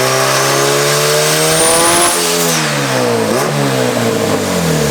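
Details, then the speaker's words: Big-turbo Honda Civic with stock 1995 Integra GSR B18C and eBay turbo parts on the dyno, boost creeping fast: revs climb then cut sharply, hunting at boost cut; owner unsure if boost controller or wastegate at fault. "Yeah, definitely boost cut again. You hear that gate open, it's just, dude, it's creeping up in boost so fast."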